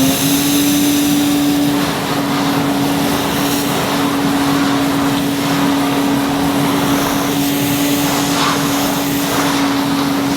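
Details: 1977 Hoover 427 cylinder vacuum cleaner, near mint, no internal dust bag fitted, pushed over carpet; steady high motor whine with constant tone and airy rush; normal running.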